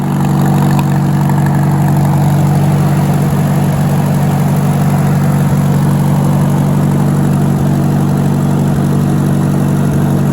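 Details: Farmall tractor (1949 H or 1968 656) with past cutting-out fuel problems, after fuel tank work: even, steady low-pitched idle thrum with regular firing, no stumbles; smooth normal idle with choke off.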